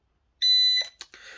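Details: Holy Stone HS430 mini FPV drone controller being unboxed: one clean high-pitched beep about half a second, then quiet handling; normal power-on signal from the controller.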